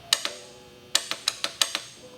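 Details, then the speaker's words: Vintage Honda CB450 motorcycle on a new battery, after the broken starter solenoid was replaced; the solenoid clicks crisply in pairs with each button press but the starter never cranks, though lights and power to the coils work. "it's working what doesn't work is the uh starter which is surprising but past that all the lights are working on the bike now"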